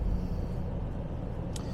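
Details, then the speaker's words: 1977 Jaguar XJ12 V12 on first drive of the season out of storage, heard from the driver's seat, 65 psi oil pressure, temperature normal, AC fans running, clock ticking; very soft, even hum with no misses or knocks; healthy normal idle. "we're sitting here idling if it wasn't for you know I had takama there in front of me I would have no idea the car is running that is uh it's the way it should be with these cars"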